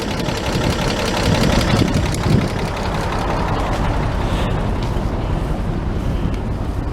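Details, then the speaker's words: 1941 Chevy idling without choke, heard at the muffler after finishing welds on the muffler-to-pipe joint: even, quiet idle rumble, no popping from air drawn through exhaust gaps; fuel has too much Marvel Mystery Oil. "Sounds quite even. Very quiet. I don't hear any popping, which is when outside air is pulled in through the gaps in the exhaust pipe."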